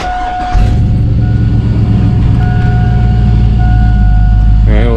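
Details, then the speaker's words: 2002 Cadillac Escalade after hydroboost brake booster replacement: deep, steady, even idle rumble after start-up with no more power steering pump whine; sounds healthy. "It sounds great and there's no more whining. Here, let me uh just turn it on for you."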